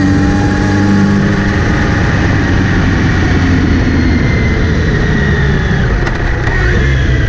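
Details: Kawasaki Z900RS pulling in gear: after cleaning and relubing the chain, a steady whirring buzz above the engine note, seemingly from the front sprocket area; chain clean and tension OK, cause unclear.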